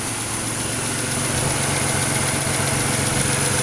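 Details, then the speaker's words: 2006 Pontiac Grand Prix supercharged V6 swapped used engine at idle; an even beat of about four per second with only a slight tick and no knock, no smoke from the oil cap, and a healthy-sounding engine. "I hear a slight tick. But nothing major. It actually sounds really good"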